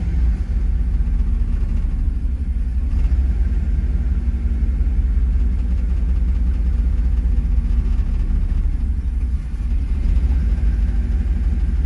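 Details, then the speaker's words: Car idling in reverse after warm-up, with new fuel filter, injectors, idle air control valve and fuel pressure regulator, previously dying in reverse, check-engine light on: steady low rumble with brief sags a few seconds apart, stumbles but keeps running. "hesitating but she stand idle she's still in Reverse as you can see and she hasn't cut off yet"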